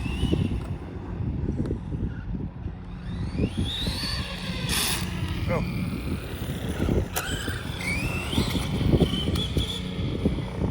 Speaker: yeah this one's going to need some diffs or something in it uh